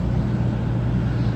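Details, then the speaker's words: 2004 Dodge Grand Caravan 3.3L V6, blower motor tested with the blower resistor unplugged, key on: steady, even low whoosh and hum at full-blast speed with no ticking, squeal or wobble; blower runs properly. "let's turn the key to the on position there we go we have a full blast that's okay"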